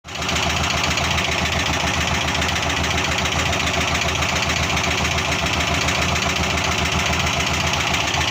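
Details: LuAZ first start after purchase: steady loud idle with a strange fast, uneven tapping knock about three to four per second over the engine noise; cause unclear.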